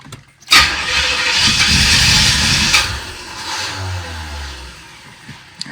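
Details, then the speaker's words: 1986 Corvette, rebuilt L98 TPI V8, with a restart problem after heat soak: the engine cranks for a couple of seconds without catching, then fades. The two-week-old battery was dead. "H battery was dead. Guess that's what I get for getting the value."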